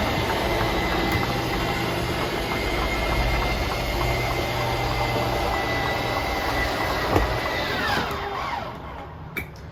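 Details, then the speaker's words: 2022 Gulf Stream BT Cruiser 5240 slide-out motor: steady electric drone about eight seconds, then power dies out as slide reaches full extension; normal operation. "Once you hear the power die out, that's how you know it's fully extended."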